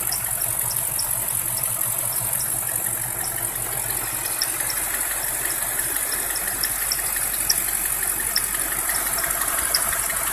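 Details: BMW E53 X5 4.8is with N62 engine, cold engine only: high, thin squeaky chirps and whistle come and go over steady engine hiss; source of squeal unknown.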